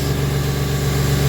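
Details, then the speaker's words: Ford Mustang 40th Edition at a Copart walkaround, cold start idle: alternator running smooth, K&N cold air intake, spark plugs apparently recently done; runs really smooth, AC works, steady even hum with no stumbles; normal idle. "alternators running smooth it runs really smooth man ac works they see moving runs really really smooth man"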